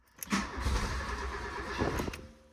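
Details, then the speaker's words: Mark II VW Polo GT Breadvan that cut out while driving: starter turns briefly, engine catches for about a second then fades and won't run; fuel pumps prime; crank no start from fuel starvation, tank out of petrol. "it just went to start. I'm thinking when it started then that maybe one of the spark plugs was firing or something like that."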